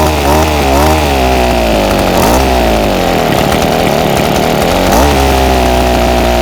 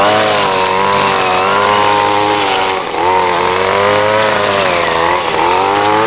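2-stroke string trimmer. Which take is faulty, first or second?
first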